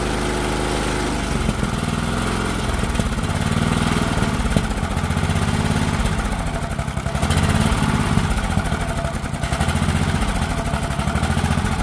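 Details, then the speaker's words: Auction-bought 8 hp Honda single-cylinder engine after a powder-clogged air filter was cleaned out: even pulsing that settles into a steady, smooth run with no misses. Runs healthy; the suspected need for a new carb seems unfounded. "look at that don't that run a treat she's actually running really nice wellow I was thinking I was going to need a new carb on there that's not looking like the case"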